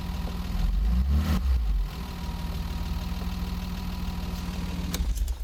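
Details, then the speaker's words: BMW 325i E30, M20 engine, cold, after valve clearance adjustment to factory spec: light rapid tappet ticking over idle, rising with small throttle blips; smoother response but much noisier than before. "un peu plus fluide dans ses montées et ses descentes mais fait vachement plus de bruit"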